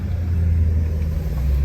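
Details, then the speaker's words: 1975 Lincoln V8 back together after exhaust manifold gasket replacement: a deep, even idle rumble with no clanking or ticking. Normal smooth idle, where it ran rough before; the accelerator still sticks slightly. "I am so thrilled this thing it is so smooth running it was rough before thrilled it runs awesome sounds good as far as it doesn't have that clanking or clacking exhaust manifold gasket that was awful"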